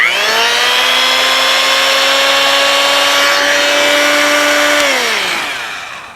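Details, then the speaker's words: Old Porter-Cable model 2621 3/8" corded electric drill, possibly 70 years old: steady motor whine at even pitch, winding down smoothly at switch-off; runs fine despite sounding bad before, some chuck end play. "Wow, it made a liar out of me because last time it sounded really bad. This time, not so bad."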